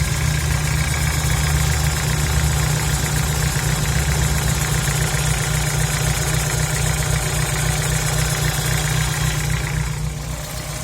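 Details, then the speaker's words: VW Gol G4 engine at idle, after head rebuild with new tappets, rings, seals and valves and an oil change to 10W40; appears about 3 minutes after cold start: steady light metallic tapping from the lower engine; mechanic suspects piston clearance, owner doubts. "levei no mecânico ele falou que era pistão com folga mas eu acho que não é porque tá vindo da parte de baixo do motor"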